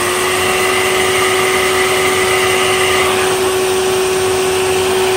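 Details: Hoover TurboPOWER 5000 canister vacuum from 2003, factory condition with new front and rear motor bearings, bags and filters removed, measuring raw fan airflow; steady high whine with smooth air rush, healthy motor.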